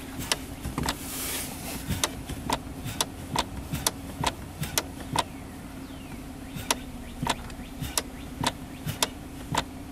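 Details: 2011 Kia Sorento, engine idling, console removed: sharp dry clicks in the center console at the gear shifter each time the brake is pressed, from the shifter lockout lever; solenoid not at fault.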